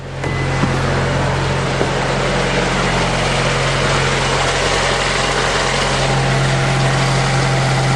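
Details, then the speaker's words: Honda Accord VTEC after timing and balancer belt replacement, test-started with covers off and crank pulley bolt finger tight: steady even idle, smooth low hum, no knocks, misses, surging or vibration; balancer belts correct, normal idle. "No problems. And no vibrations, so I got those balancer belt on right too."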